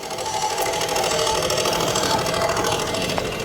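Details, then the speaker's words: 2023 Mazda CX-5 driver's side electric parking brake actuator: a steady mid-pitched motor whir keeps running after the brakes are already engaged. The brake light blinks and codes are set. The actuator is faulty and running on. "It has actually engaged the brakes. The brakes are engaged, but the thing keeps moving."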